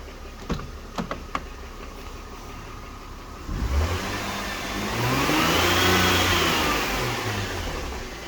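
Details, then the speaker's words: 2007 Mercedes-Benz C230 with the 2.5 L M272 V6, codes P0016/P0017, starting and revving up and back with a persistent light knock, same whether cold or warm; suspected timing chain slap, cam adjusters or guides, not confirmed. "so guys uh I want you to hear this the noise is persistent with a cold or warm engine it does not make a"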